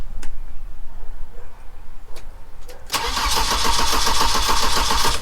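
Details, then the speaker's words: 1987 car, project pickup: quiet ticking, then the starter cranks about 3.5 turns a second but the engine never fires; crank no start, owner suspects fuel and checks voltage. "So as you can see, it's not firing. I still think it was fuel, so what I'm going to do is quickly test out the voltage to make sure that we've got at least power going there."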